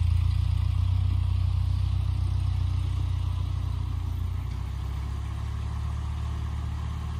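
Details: 1948 Ford 8N tractor after rebuild, test drive: deep even low-pitched thrum holding a steady beat; engine running smooth and regular.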